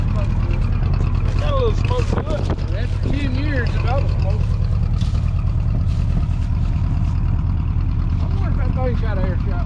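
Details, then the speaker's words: 1967/68 Ford F100 with carburettor, first start in about 10 years after carb adjustment; low steady idle with a slightly uneven, lumpy beat, still missing on one cylinder and putting out a little smoke. "we got big old coil springs still missing on one putting out a little smoke"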